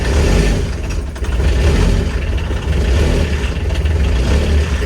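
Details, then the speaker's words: Kubota RTV900 diesel at -8°F, leftover summer fuel gelled: low, lumpy rumble that surges and sags unevenly. Owner thinks over-cranking forced gelled fuel into the lines and keeps the glow plug on to push it through. "so i'm keeping the glow plug on let's see if i can get this forced through if i can get it forced through it'll it'll take off on its own"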